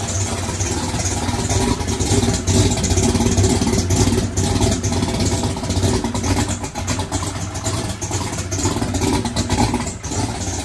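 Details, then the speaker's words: Chevrolet single-turbo race car started after adding electric primer pump to mechanical fuel pump; steady low rumble with rev blips, no knocks or misses, fuel delivery holding — normal running. "boy oh boy that thing sounded good"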